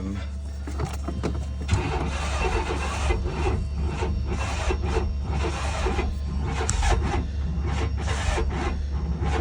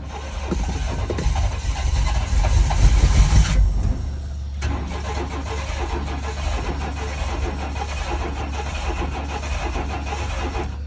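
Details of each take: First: 1995 GMC Jimmy/Chevy S10 Blazer 4.3 Vortec V6 cranking after distributor reset 180° out: steady starter cranking with uneven chuffs and a near catch but never fires; ignition timing slightly off suspected, fixed next by turning distributor. Cranks, won't start. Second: 1995 GMC/Chevy S10 Blazer/Sonoma V6 Vortec, after turning the distributor: cranks, catches and runs fairly evenly; ignition timing close enough to fire, still to be dialed in after fuel pump install. Normal start and run.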